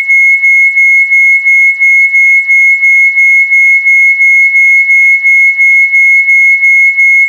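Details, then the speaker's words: Two 1 MHz crystal oscillators, now much closer in frequency, heard through a radio as a high steady whistle pulsing about three times a second as they beat against each other, before the crystals are swapped. "you can still hear it beating okay turn this off"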